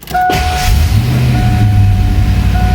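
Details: Fox Body Mustang on jack stands after upgrading to a high-torque mini starter rewired the Ford way: brief crank catches quickly and settles into an even running rumble with no lingering starter whir; clean start.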